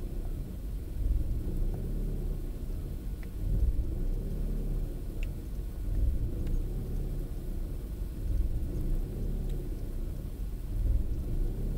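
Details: Opel Astra G 1.6 16V X16XEL warming up after choke ends: low idle rumble swells and sags unevenly every two to three seconds, lambda readings following the swings, until coolant reaches about 66–68 °C; faulty engine control unit found as the cause, fixed by replacing it.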